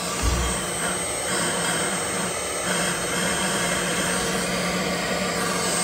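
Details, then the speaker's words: 2015 Chevy Equinox 2.4L with code P0411 (secondary air injection insufficient flow), key on engine off, pump relay commanded by scan tool: steady electric whir with faint hiss; pump runs fine, clogged ports suspected and then found. "key on engine off okay you're gonna hear this pump kick on when i turn it on so let's turn it on"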